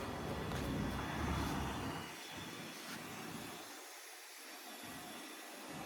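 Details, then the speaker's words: 2001 Porsche 911 engine leak-down test, cylinder 1 at TDC, 100 psi, engine off: steady rushing hiss of air escaping on the intake side; intake valve not sealing. "The old ear test. Yeah. That sounds like an intake valve. Definitely sounds like the intake."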